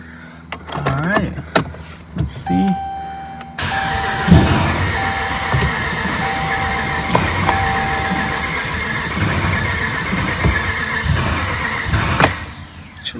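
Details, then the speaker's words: 2010 Dodge Ram 1500, 5.7 Hemi (described with a lifter/cam issue), injectors unplugged, fresh oil and filter, no coolant yet: short bursts then long even cranking with no firing, just building oil pressure. "I have all the injectors unplugged. I'm just going to get in there and crank it. Let it turn over. Build oil pressure."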